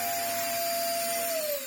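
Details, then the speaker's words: Vax Air Stretch bagless upright corded vacuum, before servicing, with stretch hose and tools missing; hose not torn. No pre-motor filter. Harsh airy rush with a steady mid-pitched whine that sags near the end; sounds terrible but runs. "Sounds terrible, but yeah, runs. So that's hopefully a good sign."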